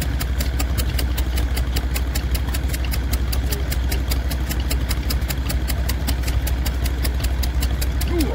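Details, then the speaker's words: PB8 stationary engine just started at a rally, with good compression: slow, even single-cylinder thump about two and a half beats a second, its distinctive sound; normal healthy running. "Oh! She's there. There we go. That's the distinctive sound of a PB8. Lovely."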